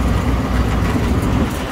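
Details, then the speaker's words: Restaurant vent hood exhaust fan, new 208/230 V three-phase belt-driven motor at 3.4 A on two legs, pulley raised: deep even rumble, no squeal, knock or grinding; normal running. "the other one's 3.4 this motor is good to go"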